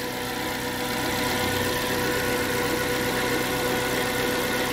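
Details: Suzuki APV that would crank but not start after the park light was switched off, now running again during relay and wiring troubleshooting: a steady idle with an even pulse and a faint whine, no stumbling. Normal idle.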